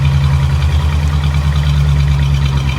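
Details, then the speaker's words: Barn-find Ford flathead side-valve V8 sat 30 years, fuel pulsed into carb by hand every 10 seconds: deep steady low rumble with slightly lumpy beat; running only on hand-fed fuel. "nice wow that was good wasn't it wow that's all right it sounds good it sounds really good"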